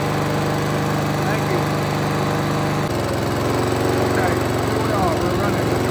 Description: Gummed up carburetor